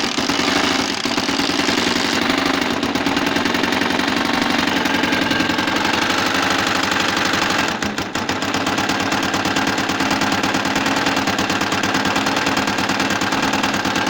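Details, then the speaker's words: Tiger motorcycle single idling with a loud, hard, regular knock through the engine. Suspected causes include a broken timing gear tooth, a worn crankshaft bearing, or a worn keyway or broken key at the magneto. "طبعا ده صوت الموتور اللي كان معنا. كان بالشكل هو خبطة جامدة جدا في الماتور."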